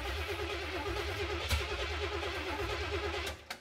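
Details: 1970 Oldsmobile Cutlass V8, sat about 15 years: steady churning crank over three seconds with faint puffs, never catches. Crank no start; suspected fuel, carb bowls possibly not filling.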